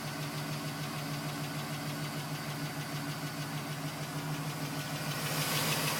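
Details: 2010 GMC Sierra with 2000 miles, cold start. Quick, even tapping, roughly three per second, over the idle hum; owner suspects piston slap. It was still tapping at 4 minutes and stopped at 5:42 once warm.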